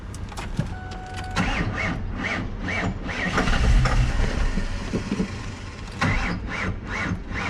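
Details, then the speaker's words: Built 5.0 Mustang GT V8 after sitting two years and a test drive: the starter labours slowly with uneven compression beats at about three to four a second. The battery is dying; the owner wonders whether the alternator is charging. "Battery is dying. I know that."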